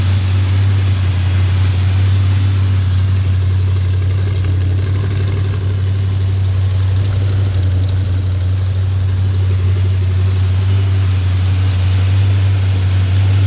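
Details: Freshly built 283 small-block V8 running with the fan on: a deep, steady, even low rumble with no knocking or ticking. It runs OK but still needs tuning. Normal running.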